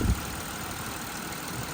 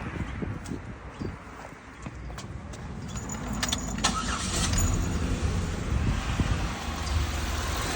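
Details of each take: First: 2008 Buick Lucerne 3.8 GM V6 after replacing the faulty ignition coil that caused cylinder 1 and 4 misfires: steady, even idle with a low hum, no stumble, misfire counts at zero. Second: 2008 Buick Lucerne 3.8L V6 with flashing check engine light, cylinders 1 and 4 misfiring: keys rattle, then it cranks and idles unevenly and lumpily. A test spark plug shows no spark; plug ruled out, wire possible, failed ignition coil suspected.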